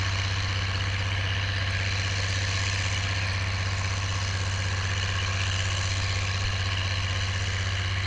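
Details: Oliver 1550 diesel tractor disking with a John Deere BW disk after whatever was in the fuel system cleared out; a steady, even drone at constant speed with a firm low thrum and no knocks or misses. Normal running under load.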